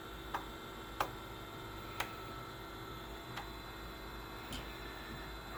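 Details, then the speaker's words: BenQ W1080ST DLP projector just booted after cleaning and servicing for a lamp problem and smoke/dust buildup: a thin, steady color wheel whine over fan hiss, with faint ticks about once a second. The wheel may need replacing, unconfirmed. "light looks good shining through the mask pretty well but wheel is a little noisy though you hear that that that whine"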